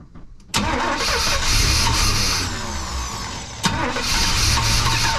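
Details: 1992 Chevy C1500 with its original small-block Chevy 350 TBI, recorded just after an intake change with the timing badly set: short crank, then it catches and idles with an uneven stumbling beat; it did not start right; rough running from incorrect ignition timing.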